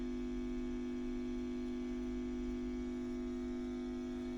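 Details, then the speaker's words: WEM (Watkins) Westminster MK9 10-watt push-pull valve guitar amp, ECL82 outputs, Fane 12-inch speaker, under restoration: loud steady low mains hum with buzzy edge; owner suspects the noisy on/off switch built into the pot, unconfirmed. "which is the buzzing I think is this switch here and it's a common problem with these onoff switches that are incorporated into the pots they tend to be very noisy"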